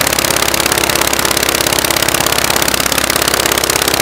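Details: Rebuilt Praga B2 aero engine, last run 1 September 1939, first run on homemade test rig bolted to a Vauxhall: loud, rapid, fairly even firing beat with harsh rattly edge, running on one magneto; the other doesn't work and needs rewinding.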